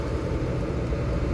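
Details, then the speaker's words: Newly fitted Webasto-type diesel heater (12/24/220 V, 2.5-litre tank) in a Dacia Dokker, first run, now hot enough to burn a hand: steady even low roar with unchanging fan rush, no knocks or rattles; normal running at full heat. "gayet güzel bu başarılı Yani evet daha doğrusu ne gittikçe Evet şu an el yakacak moda geldi Arkadaşlar neredeyse"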